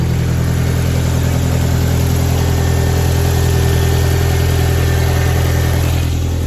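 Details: Audi A4 1.8 turbo, not run for about two years, crank no-start fixed with new coils, plugs and a replacement relay for a rusted one: steady, even low idle with a smooth regular pulse and no misses, knocks or hunting.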